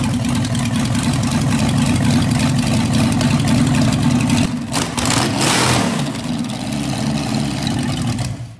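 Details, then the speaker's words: Engine fires and holds a strong, steady run with a brief rev in the middle and no misfires or knocks. It sounds mint: normal running. "Yeah. Not bad. That sounds mint. Fuck yeah. I think she runs."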